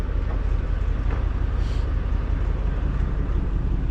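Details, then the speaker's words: 1989 Ford F-150 scrapyard project, new fuel tank and fuel pumps: fired up easily and idles with a steady, even low V8 rumble, no misses, knocks or ticks; healthy normal idle. "Shoot. That lit off a lot easier than I thought it would. Heck yeah."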